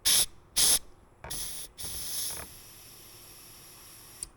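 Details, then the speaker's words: Cowl drain under the windshield, where water runs through the A-pillar and out the fender, blown out with an air hose after a rock and an acorn were removed: sharp hissing bursts, then a steady fainter hiss from air exiting by the fender. The drain is clear. "can hear the air coming out. You can hear the air coming out down by the fender there."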